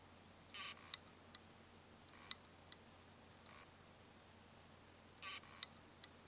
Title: WD3200BEVT Dead Hard Drive (Clicking)